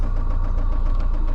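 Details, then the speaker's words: Toyota MR2 SW20 with 5S-FE engine at rough idle, with a faint regular knock about seven a second over the low rumble: rod knock, engine due for replacement by a 3S-GTE. "If you can't hear that rod knock, my camera's microphone's terrible, so"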